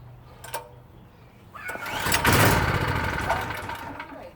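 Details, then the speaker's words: PowerSmart PS44 3000W generator that sat unused since 2017, old gasoline: pull-start rattle, then fires and runs roughly about two seconds before dying. Owner suspects a black flake of old fuel clogging the carburetor bowl; unconfirmed. "It could be just a black flake of old gasoline, and it's just stopping compression."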